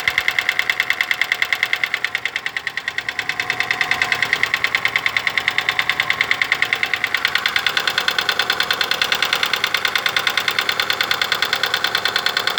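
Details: Daewoo Lanos engine at idle: fast, even ticking about three per second without letup; hydraulic lifter (tappet) knock.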